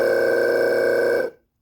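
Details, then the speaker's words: 12 V RV travel-trailer water pump, removed from the RV and powered from a bench supply. Holding the button keeps it off; on release the pressure switch turns it on. Steady electric hum with a clear mid-pitched tone, then a clean cut-off: normal running and switching. "it should turn on, which it just did. So, this pressure switch actually will turn on and off."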